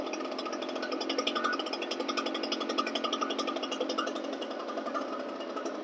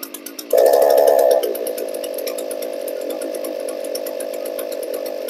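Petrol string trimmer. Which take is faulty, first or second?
second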